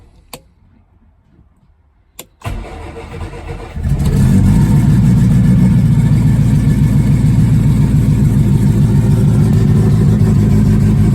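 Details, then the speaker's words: 1969 Mini Cooper S 1275 with Pertronix ignition, unstarted for a couple months, cold with choke pulled and electric fuel pump clicking: brief crank, then catches into a fast, even choked idle with a steady beat; normal cold start. "it hasn't been started in a couple months so I might not start right away I gotta pull the choke on get it to set right over there"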